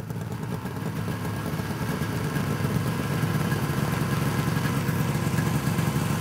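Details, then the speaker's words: 1971 Arctic Cat Panther 440 snowmobile, JLO two-stroke with Tillotson carburetor, on a test ride after carb air adjustment: low rough burble swells but bogs under load; tired clutch springs upshift too early, secondary to be disassembled. "so what's happening so the clutch springs are so tired on that sled that it just wants the upshift and it can't it doesn't have the power to get it going"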